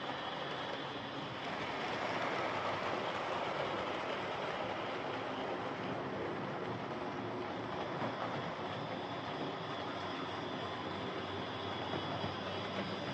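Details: Hornby Dublo R1 0-6-0 tank engine model locomotive, possibly about 60 years old and well run with brushes worn right down, running on the layout: constant harsh buzzing whir with rapid clatter from the drive, much louder than it should be; loud gear noise from the old Dublo motor.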